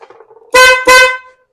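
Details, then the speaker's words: BMW K100 motorcycle, horn previously not working, traced to a bad terminal: two short, clear horn blasts with steady strong tone, no crackle or fade; horn now works. "the horn most definitely works so let's move up one and try fuel pump"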